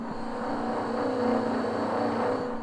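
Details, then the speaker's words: Vaillant 837 boiler, ten years old, never cleaned and without inhibitor, steady low roar with droning tone and uneven rattly rumble: kettling, as a blocked main heat exchanger coil overheats and vibrates against the other coils. "one of them coils is blocked and it is vibrating and that noise is it hitting the other coils so hopefully we've caught this early enough"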